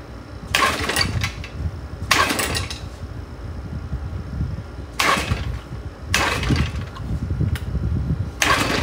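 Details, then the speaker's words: 1972 Johnson 6R-72D 6 hp two-stroke outboard, running hot and steaming: uneven surges and sags every second or two, no steady idle; owner suspects carburetor needs cleaning and plans a water pump. "yep definitely think I'm going to have to clean the carburetor you guys can tell she's getting a little hot so I'm going to let her be"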